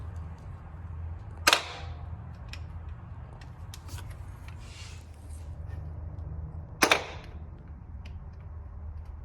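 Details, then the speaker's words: Toyota Celica GT with Gen 4 3S-GTE swap, cranking attempt via starter jumper for a compression test: two sharp single clicks about five seconds apart, engine never turns over; starter just clicking, owner plans a new starter; engine also suspected of having no compression. "Okay, update. Start is no good. Yeah, I mean, it's pretty much just clicking, so I'm gonna have to get a new starter."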